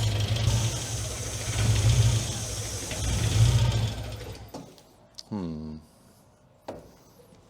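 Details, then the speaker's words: Classic Mini MPI after engine reassembly with a new head gasket, while filling coolant: idle surging unevenly every second or so before dying away; rough, unhappy idle, cause unknown. "it doesn't sound too happy to be honest yeah it doesn't sound happy at all"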